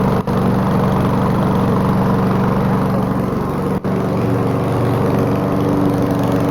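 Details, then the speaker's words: Old donated lawnmower with mounted camera, started with ether and hard to start unless warmed, air filter lost; it runs loud, rough and uneven with a ragged beat and heavy crankcase-vent smoke from blow-by. Terrible rings and compression, maybe bad valves suspected. "Needed a bit of help from starter fluid to keep running, but now it runs badly. It has a ton of blow-by, and it's got terrible rings, terrible compression, maybe even bad valves."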